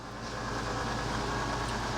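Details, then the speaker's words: Coachmen Sportscoach 380MBS Class A diesel pusher on Freightliner XC, slide-out retracting after repair; steady, even electric motor drone with no binding, clunks or straining; performing normally. "I think that's about as that's as good as it's ever been I think basically it's performing normally now"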